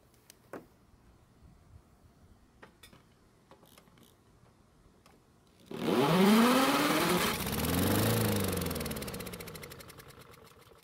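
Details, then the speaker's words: Honda mower found free, no fuel in tank, fuel poured into the carburetor throat to test ignition and compression: after quiet clicks it fires and runs a few seconds with an even beat, no knocking, then winds down; normal running. "luckily it started and ran for a few seconds which is great news and even though it only ran for a short time it sounded really good no knocking or any other strange sounds"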